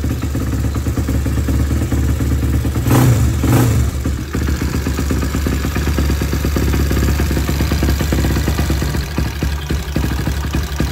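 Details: Motorcycle after plug-and-play CDI socket pin connection and o-ring replacement, fuel tap on: starts cleanly and settles into a steady, even low idle with only light valve clatter; running fine.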